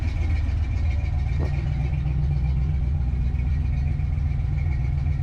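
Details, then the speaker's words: Fox body Mustang with ignition timing not yet set. A deep, loud, lumpy idle with no rhythm that never settles; it runs poorly. The cause is unconfirmed, and it may not even have a camshaft. "i'm gonna be honest with you the way that sounds it just sounds like it's not running very good i'd almost be willing to bet this car does not have a camshaft in it"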